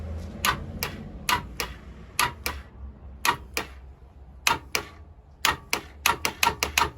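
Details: 1987 Honda Super Magna with a new battery: sharp dry clicks in irregular bursts, about eighteen in seven seconds, and the engine never turns over. The owner suspects vapor lock or something locked up, not confirmed.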